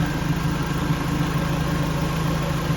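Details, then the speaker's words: 2005 Jeep Wrangler that would not crank or start, running after the power control module was replaced: steady, even idle with smooth low drone, no misses, knocks or ticks; sounds good. "but here she is sounds good and I'll keep you guys in the loop"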